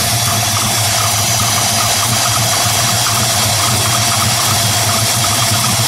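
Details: 1968 Ford Mustang Shelby GT350 restomod V8, 550 hp on dyno, polished stainless exhaust, heard from rear: deep steady V8 burble with even low pulse, no ticking or misfire; healthy idle.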